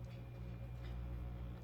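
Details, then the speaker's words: Pawfly MC-3000 air pump after rattle repair, back on high setting: soft, low, steady hum with no buzzing or rattling; fair air pressure, no noise at all. Normal quiet operation. "yeah that's a fair pressure in here no noise at all perfect"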